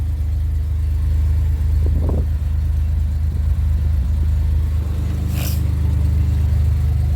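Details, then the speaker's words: 2007 Grand Prix with rebuilt Gen 5 supercharger/intercooler and new heater core, first startup after install: steady, low, even idle rumble with no knocks, whine or rattle, intercooler pump running. A slight exhaust leak was also noticed. Normal idle. "Intercooler's running. Nice and smooth. Sounds much better."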